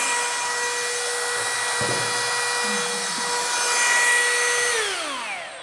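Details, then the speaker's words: Brushless rotary tool used for resin work at high RPM: clean, steady high-pitched whir with no rattle or wobble, then winds down smoothly; no noise at high speed, healthy. "This one doesn't have any noise at high RPM. You can change. doesn't have any noise."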